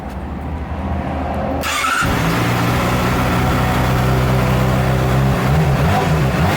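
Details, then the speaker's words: Crash-damaged 2007 Honda CBR600RR being rebuilt, on the stock exhaust after the Two Brothers exhaust was removed: cranks, catches near two seconds, then settles into an even, steady idle with a clean note, no knocks or misses. "I screwed up and should have started it with the Two Brothers exhaust I just removed, but here's what the stock one sounds like."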